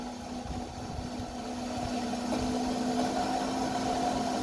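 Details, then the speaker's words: New bilge pump on 1960s boat under restoration, test run with water added to the bilge: steady, even electric hum at constant mid pitch, slowly getting louder, no rattle; pumping well, much better than the old pump. "oh yeah that's much better than the old one that's really motoring"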